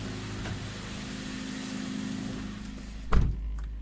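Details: Honda Civic Type R EP3 after a new injector driver was soldered into the ECU: quiet, steady low hum at idle, no misfire or stumble, one brief thump near the end; engine idling cleanly, repair successful.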